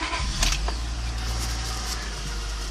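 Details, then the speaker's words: 2003 Acura TL, 169,000 miles; the transmission won't engage hot or cold and drops out of gear after about 200 feet: engine starts into a steady drone with a faint constant hum, like a water pump priming; failed torque converter suspected. "So here's the sound. It sounds as if water pump is trying to prime itself, and it's like licking the fluid, or I don't know what it is"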